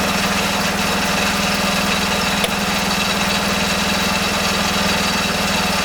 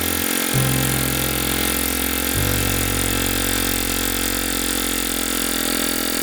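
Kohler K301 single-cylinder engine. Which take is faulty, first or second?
second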